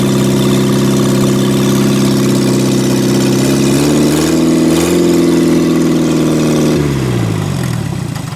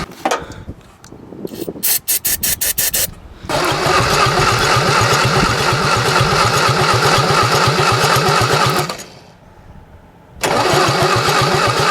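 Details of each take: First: 1963 Mini Cooper, engine claimed to be a built racing engine, first start after reconnecting the coil, run briefly with no coolant: fires and runs smoothly at steady pitch, brief rev, settles with no knocking; healthy running. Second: 1963 Mini Cooper, engine claimed to be a built racing engine, cranking right after a new starter was fitted: steady fast strong cranking with compression but never catches; plug and wire show no spark, owner suspects bad coil.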